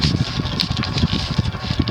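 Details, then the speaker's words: Windward (TAT) CF2 36" industrial ceiling fan, cast-iron motor, circa 1980, run at medium on FanSync: irregular light barking-like rattle over low hum and worn-but-smooth bearing noise, from loose washer on decorative nipple. "sounds like there's a little bit of actually the rattle that what sounds like barking you hear it's just the nipple"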